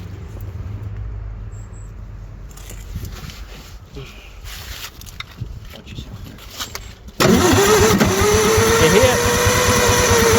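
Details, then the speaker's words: Bobcat 743 skid steer bought sight unseen, water found in manifold: sluggish, dragging starter turns under three per second that fade, then engine suddenly fires and roars; slow cranking from weak, low-amp battery. "Battery get weak. Yeah. It ain't got many cranking amps, that battery don't."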